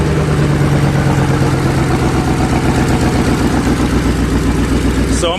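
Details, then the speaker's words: 2008 Ford Mustang GT (S197) V8 donor engine with 75,000 miles, just installed as a replacement for the noisy original; first start with fresh oil and new battery; steady, even idle burble with no knocks, ticks or misses, not bad at all. "this motor has 75,000 miles on it see sounds perfect that sounds definitely not not too bad"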